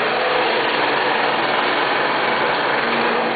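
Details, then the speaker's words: Scroll saw cutting a curve in wood, starting with a slight delay after the switch is turned on: steady, even buzzing drone, constant with no knocks or surges; normal running. "there is a slight delay when you turn the switch on before it'll start"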